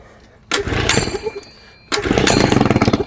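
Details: Old two-stroke outboard after cheap replacement coil swap, 20:1 SAE 30 fuel mix, choke on: two pulls then catches with quick even popping beat and runs cleanly; coil hack works, but no cooling water seen.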